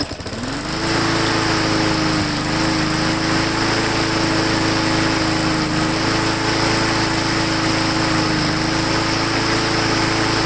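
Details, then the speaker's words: Lawn mower after bending throttle linkage back, air cleaner refitted, Seafoam in fuel: catches quickly, steady even drone with tiny speed dips every few seconds, slight surge getting better; normal running. "Okay, so I had a very slight surge when we first started it, but it seems to be getting better and better."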